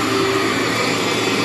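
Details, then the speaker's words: Cleartrak/Workhorse vacuum power brush after brush and belt replacement, running on floor setting; smooth, steady whir with no clatter, slipping or belt squeal, digs in like new: normal running. "vacuum up there for you feels like a new machine just digs right in there"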